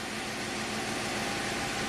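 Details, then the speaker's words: 2006 Pontiac GTO V8, six-speed manual, 36,000 miles, just started after new AC Delco spark plug in cylinder three, warming up: smooth, even idle with a steady hiss, no misfire or stumble; fuel trims good. "It's It sounds really smooth. I'll let it warm up here for a little bit."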